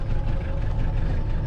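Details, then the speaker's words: Cold start of a 1995 Mitsubishi Delica L400 (PD8W) 4M40 diesel at 182,000 km: uneven, stumbling idle with skipped firings and unburned-fuel smoke. Misfire from one failed glow plug; the miss clears once warm. "you can hear the misfiring. Yeah, it has a miss, and it's smoking. Just unburned diesel fuel."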